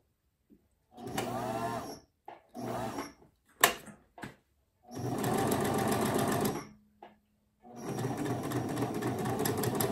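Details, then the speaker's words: Singer Simple front-load bobbin sewing machine before service runs in uneven, labored bursts with stops; rough and strained, motor overworking and smelling hot, a common fault that leads to lock-up and can burn out the motor. "it really sounds bad it sounds horrible so with that let's uh let's get started on this okay stinks i smell the motor the and the reason i smell that motor is because it's stressing the motor is uh overworking"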